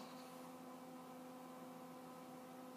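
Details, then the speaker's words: Commodore 64 Lt. Kernal hard drive, first power-up in 20–30 years: only a faint steady fan hum with a few tones, no spin-up whine or head seeks, while the drive LED flashes. The drive may not be spinning; stiction is suspected. "what sounds like a cooling fan and the drive is flashing one two three and then a bunch of little flashes i'm not sure if the drive itself is spinning let me just have a listen my gut tells me what i'm hearing is the fan"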